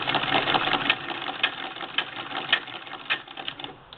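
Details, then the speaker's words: 1947 Singer 66 sewing machine with reverse (back-tack) lever, converted to hand crank; light, even clicking at about two stitches a second, no knocks or grinding, the hand crank itself making noise; normal stitching. "that noise you hear is the hand crank um Frank likes to make noise um some of them do"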